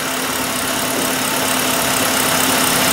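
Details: 2003 Mercury Grand Marquis 4.6 L, previously high idle with P0507 and IAC valve replaced: low steady idle with an even hum, no misses or hunting, after minimum idle adjusted to about 500 rpm with the IAC unplugged.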